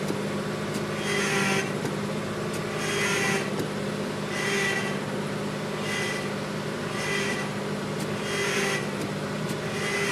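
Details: Chevy Astro with hydroboost, running after the power steering reservoir ran nearly dry and was topped off: hissing whoosh surging about every 1.5 seconds over the engine; leak location still not found.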